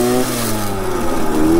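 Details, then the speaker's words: 1966 Harley-Davidson Aermacchi M50S two-stroke: engine pitch rises quickly under throttle without matching pull when shifting gears, flaring whine; clutch slip. "they want to slip when you shift gears if you give it gas"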